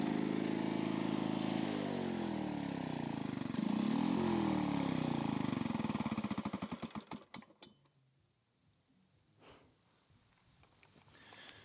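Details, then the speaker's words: Lawn-Boy two-stroke mower after crankcase and exhaust muffler repair revving unevenly, surging and sagging, then stumbling and dying; hidden mixture screw can't be set by hand, mixture out of adjustment. "y est maintenant je suis sourd mais c vis de richesse pourquoi ils sont allés nous la planquer là je peux pas la régler à la main"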